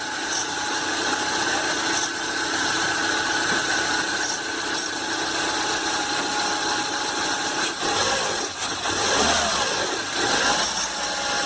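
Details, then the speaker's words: 2012 Renault Duster 1.6 16V flex, about 69,000 km, idling: steady whine and scratchy chatter from the accessory belt, caused by a seized, overly stiff tensioner; belt still good, tensioner replaced. "o tensionador o outro está com esse efeito mola aqui muito duro está travando é isso que está causando aquele barulho da correia de acessórios"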